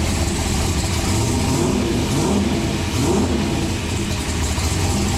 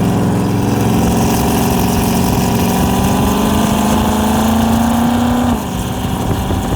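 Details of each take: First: Turbocharged COPO Camaro V8, freshly built with a new intake, turbo and exhaust, refired: a deep lumpy rumble with strong low-end pulses and steady throttle blips, running clean and even; normal revving. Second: Turbocharged COPO Camaro V8 on its maiden drive, water temp good: a loud idle that hunts, sagging and climbing every few seconds instead of holding steady; idle surge.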